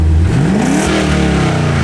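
Engine runs clean and sweeps up smoothly in about a second, then settles to a steady even note. No knocks or misses; it sounds healthy.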